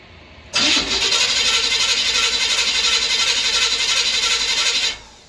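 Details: Chevrolet Impala after replacing broken, loose-mounted starter with stripped teeth, car still up on stands: new starter spins briefly, engine catches cleanly and settles into a steady run with no grinding.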